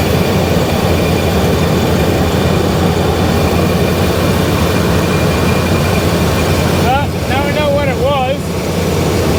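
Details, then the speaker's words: Cold V8 truck with worn rings and a choppy cam, held at slightly raised speed: steady even note with no misfire, firing on all eight though rich and burning oil; normal running. "Oh yeah. Sounds way better. See, it sounds like it's firing on all eight cylinders, even though it's dead rich and burning all kinds of oil. Yeah, there you go. It's running perfect."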